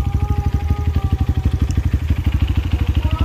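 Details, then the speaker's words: Honda CRF150L single after riding through a river, aftermarket exhaust; steady even low putter, about thirteen pulses a second, no knocks or misses; healthy idle. "sejauh ini knalpot paling gua suka ini guys suaranya adem enak digeber ngeblar ya guys ya tenaga keluar kalah performance karbon mantap"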